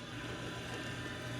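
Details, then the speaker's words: Maytag MDB9959SKZ dishwasher, about four years old, noise growing louder over time: constant low hum with a rough, gritty grind during the wash/recirculation cycle, coming from underneath; owner suspected debris; fixed by replacing the pump assembly W11416363. "It starts getting noisy when the research pump starts going. It's probably a toothpick or a bobby pin or, you know, part of a whole chicken."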